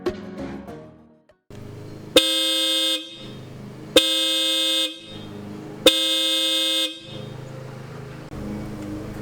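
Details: 2013 VW Jetta TDI with newly installed Hella horns replacing failed OEM horns: three clean loud honks about a second each, steady bright pitch, both horns sounding together; working normally.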